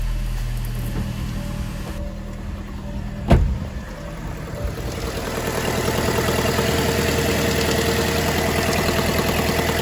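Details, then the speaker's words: Fiat 500 engine just after DIY timing belt replacement, first start: after a thump it settles into a smooth steady idle with no ticking or rattle, faint music behind; started no problem: normal idle. "pretty good sounds good started up no problem let's just have a listen outside"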